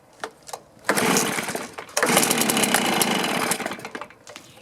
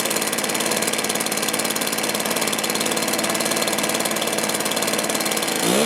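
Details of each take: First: Stihl BR450 two-stroke blower, cold start on choke after carb cleaning, new fuel tank vent, new fuel filter and coil air gap set: ragged bursts, stumbles and fades, poor throttle response; low-side mixture opened to correct lean condition. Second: Stihl BR450 backpack blower, two-stroke, after carburetor replacement, fuel tank vent fix, coil air gap and high/low mixture adjustment: idles evenly and revs up and down cleanly with pitch following throttle; running properly.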